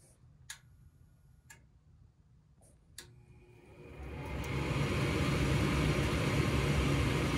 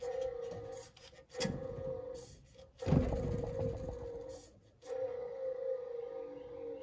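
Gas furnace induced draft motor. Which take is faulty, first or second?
second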